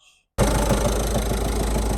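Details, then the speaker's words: Citroën Jumpy 1.5 turbo diesel: after a silent start, heavy uneven knock and strong engine shudder; caused by an off-centre clutch pressure plate, found with gearbox removed. "Olha o barulho que teminha. Tão forte, né, pessoal? Batido. Olha que batido."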